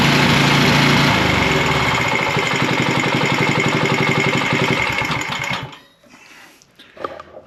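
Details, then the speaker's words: Troy-Bilt 6.75 HP tiller, model 21A-644H063, engine running after starting with starting fluid: steady rapid knock, about four a second, from the back side, caused by an overlong guard bolt striking a moving part. "there's something that's knocking and rattling from the back side while she was running I don't know exactly if it's hitting something under here or what but it definitely made a rattle"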